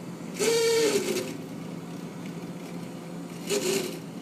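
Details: Fridge freezer making loud whining noise that persisted after the ice maker was removed: steady low hum-whine with two brief louder rushes; owner suspects the freezer fan, not confirmed.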